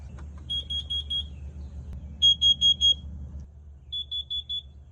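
Three groups of four sharp high-pitched beeps with short pauses between them: the CO alarm's test pattern sounding properly, horn working.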